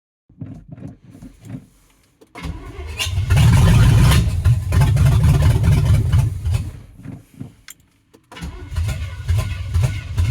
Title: 305 Chevy hard starting